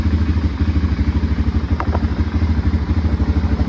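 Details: 2005 Can-Am DS650 quad, bought for $1000, started before a test ride, oil pressure/coolant light went off: deep, steady thump about three beats a second, no knocking or misfires; healthy idle, though less powerful than expected with its restricted muffler.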